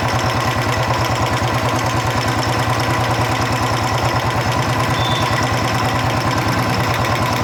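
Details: Royal Enfield Bullet 350 Electra steady single-cylinder idle: light even ticking about three per second, tracking engine speed, reduced from before; worn rocker arm causing tappet noise, to be leveled with emery paper.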